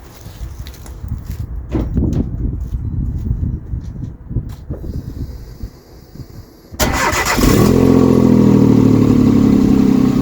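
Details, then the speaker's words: Citroen C1 with a new exhaust back box fitted but no clamps on yet: engine fires and idles with a raspy, puffing note over a steady hum. Leak at the exhaust joint the owner intends to weld. "yeah as I thought we've got a bit of a leak around that join where I said I wanted to weld it"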